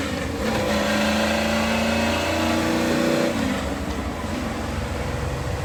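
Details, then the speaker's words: 1993 Ford F-150 with a 5.0 and T5 gearbox, test drive after the gearbox was repaired to fix a 2nd-gear grind: clear singing whine climbing with road speed over the engine note. Second gear whines badly, so the transmission must come out again. "Well, you heard that, too. Second gear winds pretty badly. Badly enough to be really concerned about it."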